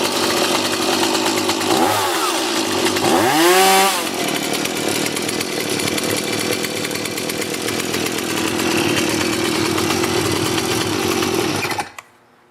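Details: Stihl MS180C chainsaw with Easy2Start, started on choke after pull cord replacement; high buzzy two-stroke snarl dips and climbs, then holds a steady even rate before cutting off; runs cleanly.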